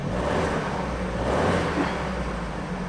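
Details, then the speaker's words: Vauxhall Astra saved from scrapyard, after only O2 sensor replaced (engine light still on): smooth, even engine note rising and settling with throttle, slight belt squeal, no ticking or knocking; engine unexpectedly running sweetly and quieter. "I'm actually really confused as to why the engine sounds like it's running really good now"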